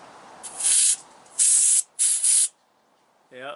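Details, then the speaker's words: Big truck air tank drain valve (pull-string water drain) leaking: sharp bursts of high air hiss starting and stopping in quiet background; moving the valve stopped one tank's leak. "I had one more air leak it was right here um actually it wasn't this tank it was the next one back but it's harder for me to get to it to show you where it was but it's the same thing we're just little valve that you pull the string on it to let water out"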